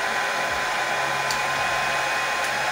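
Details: Oster hair dryer that would not switch on, after repairing a short in the power cord wiring: steady even whoosh of air with smooth motor hum, no crackle or cutting out; dryer running normally.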